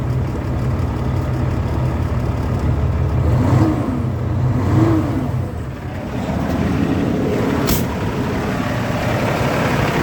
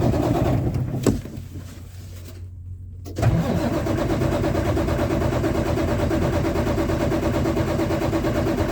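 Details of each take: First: Kenworth diesel truck unused for a long time, fuel filter/water separator suspected packed and leaking: catches, revs twice, then settles into a steady low clatter at idle; running normally. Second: Kenworth diesel truck unused for a long time, after starting-fluid spray: starter turns the diesel about three beats a second without catching; cranks but won't start, owner suspects a packed fuel filter.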